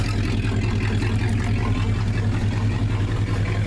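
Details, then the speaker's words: 1969 Dodge Dart V8 revived after sitting, with a leaking valve cover. It is warm, cooling properly and not dumping water, and the smoke has mostly cleared. It settles into a smooth, deep, even idle with no lifter tick or misses. "The engine's quieted down, so the smoke's mostly cleared up."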